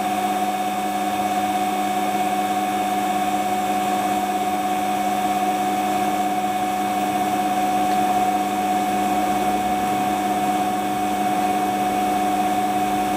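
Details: Hotpoint Ultima WT960 washing machine spin test after fitting a brand new replacement drive belt: smooth, even high hum held at constant pitch with no slap, squeal or rumble; belt drive running normally.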